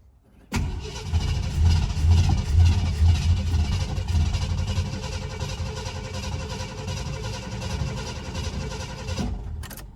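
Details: 1970 Ford Country Squire 390 6.4L V8, parked 14 years, with a cheap replacement pump fitted to the tank fuel line and a charged battery. The starter churns about nine seconds with uneven low chugging but never catches. It is a crank-no-start from no fuel delivery.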